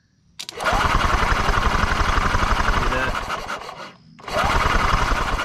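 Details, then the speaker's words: 1992 EZ-GO golf cart, 2-cylinder Robin engine that sat 16 years outdoors, test-spinning with the ignition wire hooked up: fast, regular cranking with pauses, never firing, sparking only at first; cranks but no start, owner suspects the CDI is bad. "it does every time I touch it on the first go and then it stops I think I think the CDI or whatever you want to call that is going bad and it and it's now bad"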